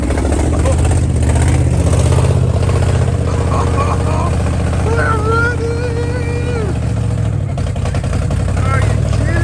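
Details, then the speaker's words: 1969 Chevrolet Caprice 427 V8, 4-speed, first start after sitting since 1988, fed from a gas can: deep burble with uneven, lumpy pulses and wavering speed; runs rough, owners suspect a stuck lifter. "whoa doesn't run very well but it runs"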